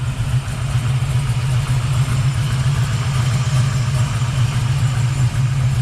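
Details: 1979 Chevrolet Camaro Z28 V8 at idle after replacing the noisy Pete Jackson gear drive with an Edelbrock Performer double-roller timing chain set, new balancer and water pump: deep, steady, even lope, no gear whine; normal idle.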